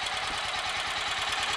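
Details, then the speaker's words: Royal Enfield Electra X after starter sprag clutch replacement and tightening the loose nut between the generator flywheel and the engine sprocket: a steady, even single-cylinder idle with crisp firing and no clatter or knock; much quieter than before. "that's that's the effect it can have mean this engine now sounds like it would have done when it was brand"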